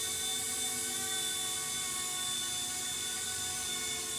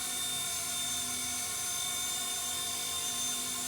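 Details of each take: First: RC Era C-189 MD500 RC helicopter in hover test flight after tail motor mount repair: high, steady rotor whine with a faint uneven throb underneath; some rotor head vibration, and the owner may add shock foam under the receiver. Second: RC Era C-189 MD500 electric RC helicopter after superglue repair of the tail rotor/motor mount, hovering: even high-pitched whine with steady rotor buzz, no ticking or wobble; flying well after repair.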